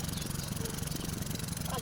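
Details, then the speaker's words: Hyundai Starex GRX diesel, smoky, wiring and ECU checked OK: uneven lumpy chug at idle, same after restart; overhaul found stuck piston rings on cylinders two and four causing misfire. "At y'yan, pinaandar ko na naman ulit. At ganun pa rin 'yung andar."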